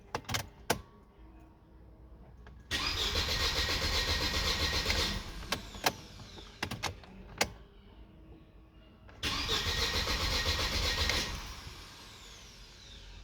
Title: w203 cranking but no starting # bad fuel pump or relay #shorts